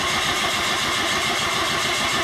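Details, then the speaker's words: Saturn crank-no-start: starter churns over at an even, steady rhythm and never catches; scan tool shows no RPM change and tach doesn't bounce, suggesting a missing cam/crank input signal, not confirmed. "I'm just going to crank it. No data change for RPM, so again, I think that gives us a good indication we're going after an input problem."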